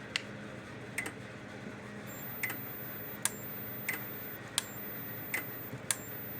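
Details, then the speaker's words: Kencove KF13000 fence energizer tested before repair; sharp single clicks roughly every 0.7 seconds, the transformer pulsing as power discharges into it, showing the two control boards are okay. "that's a good sign. That means it's discharging, clicking, all that stuff. So that means that these two boards are okay. The clicking sound itself comes from the transformer, because when the power discharges into the transformer, that click sound is the transformer itself pumping the power from here to here."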